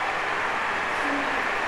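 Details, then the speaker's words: Table fan after cleaning dirt off one side of the blades: fast, even airy whoosh, no ticking, rubbing or wobble; running normally with strong airflow. "இந்த மாதிரி ஃபாஸ்ட்டாக ஓடும், நல்லா காற்று கூலிங்காக இருக்கும், நிறைய காற்று கிடைக்கும்."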